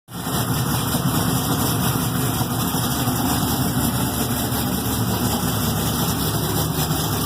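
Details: Thelma, an Exile Fab frame rig with an LS3 V8, 208 Motorsports harness and Reid SH400, on its first start after the rebuild. It catches quickly and settles into a deep, steady, even idle with no misses or knocks. Normal idle.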